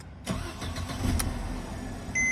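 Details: W204 Mercedes C250 with a no-crank/no-start fault ("take key from ignition") caused by a mechanical electronic steering lock (ESL) failure; after the lock is removed and a programmed emulator is fitted, it cranks quickly, catches at once and idles steadily, with a short chime; normal start.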